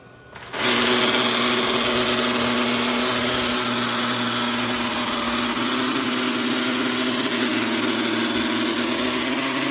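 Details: Eufy G30 robot vacuum, about one year old: loud, steady harsh whirring grind with a gritty edge, constant while running; grinding began shortly before the 12-month warranty ended, cause unclear.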